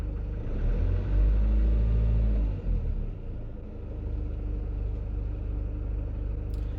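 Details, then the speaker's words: Citroen Relay van at 12,800 miles, idle at lunchtime: faint regular tapping about three or four per second that fades briefly when revved just over 1300 rpm, then returns louder; worse with longer idling and heat, cause unknown. "Now, as I rev the engine to just over, say, 1300 RPM, the noise will diminish, and then it will start to regulate itself again and come back in, getting louder as we go."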